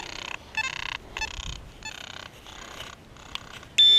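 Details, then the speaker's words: Simplex metal detector after new software update, in Park 1 mode, frequency F2: choppy bursts of high, crackly chirping about every half second, then steady tone; unbelievable chatter, suspected pinpointer interference, update didn't cure it. "I'll have to check and see what frequency it's on but this is unbelievable chatter"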